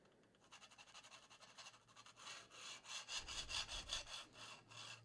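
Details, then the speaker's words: 3D printer Y-axis rod on Drylin plastic bushings after about 800 hours of printing, pushed back and forth by hand: dry, raspy scraping at about two and a half strokes a second from the bushings rubbing. "it definitely makes noise it definitely makes noise because like with the the aigas in there you wouldn't hear that at all moving that rod"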